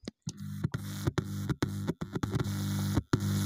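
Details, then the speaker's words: Dead home theater amplifier board (12-0-12 transformer, about 10.5 V per side), left speaker connected: a low, steady mains hum rises in the speaker each time a finger touches the amplifier IC and stops between touches, so the IC passes the test. "अब हम IC के ऊपर भी finger touch करके देखेंगे। देखिए, अब वहाँ पर हमिंग आ रही"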